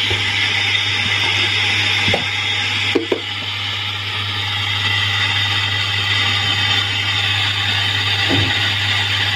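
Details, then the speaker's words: Samsung CRT TV audio fault: steady hissing static with a low hum and scattered crackles, caused by the faulty audio-section IF coil, which is to be replaced or retrimmed. "Terdapat IF pada bagian audio dan kerusakan pada suara statis sebelumnya terletak di IF tersebut."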